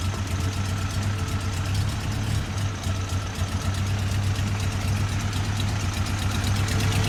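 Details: Toyota 22R four-cylinder: low, uneven, lumpy idle around four beats per second with faint tapping; timing, distributor and spark plugs are being checked, cause unclear.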